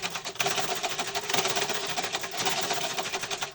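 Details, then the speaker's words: Old rusty sewing machine before servicing, turned by the handwheel: a fast, loose, dry clattering rattle with every turn. Excessive mechanical noise from worn, loose, unoiled parts with a loose nut. "তো চলো বন্ধুরা, যেহেতু মেশিনের যা সমস্যা আছে তার মধ্যে শব্দটা তো প্রচুর হচ্ছে, কিন্তু আমাকে বলে কি কি সমস্যা।"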